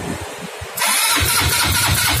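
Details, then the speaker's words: Automatic scooter no-start: brief quiet handling, then steady cranking churn with rough low pulses that never catch; crank no start, with the carburetor needle clip at fault. "Seperti yang Anda lihat, mesinnya tidak menyala. Ternyata sepeda ini memang mengalami masalah. Ini tidak mau menyala."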